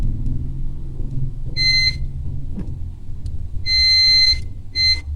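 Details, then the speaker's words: Toshiba LED TV with a blank screen, T-con board: multimeter gives high steady beeps in three bursts on the 12 V T-con VCC line, still shorted with a part removed; the DC inverter IC is suspected, not yet confirmed. "Apakah masih short atau tidak? Ini tegangan yang 12 volt teman-teman, yang masuk ke bagian Ticonnya."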